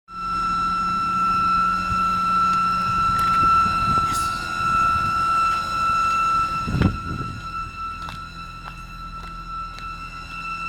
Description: My E92 has developed a loud whinning noise coming from the engine bay.